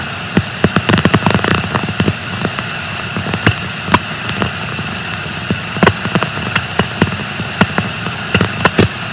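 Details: Bearing on a bleach decker in a pulp and paper plant: steady hiss broken by sharp, irregular clicks and pops, impact noises that clearly indicate a bearing defect.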